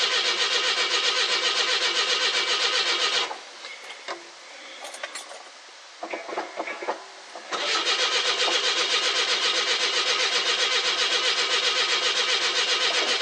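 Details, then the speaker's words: 42-year-old carbureted car (Daisy), cold start after sitting a couple of months, with an old mechanical fuel pump: long, steady starter cranking at about four beats a second with no catch, as the carb float bowl has run dry; oil pressure builds and the battery is strong; owner suspects the pump may be weak. "Nice if it had an electric fuel pump, and I wouldn't be doing this. Well, just from the cranking I got oil pressure. Good strong battery anyway."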